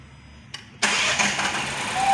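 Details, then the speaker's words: 2018 Fiat Argo at idle: engine catches and settles with a constant hissing, airy whistle; the owner's complaint, caused only by a punctured valve cover (PCV breather) diaphragm, which someone had mistaken for piston rings. "e tem esse barulho aí parece uma pizza esse esse barulho aí é o que a dona do carro queria tirar e é apenas o diafragma da tampa furado"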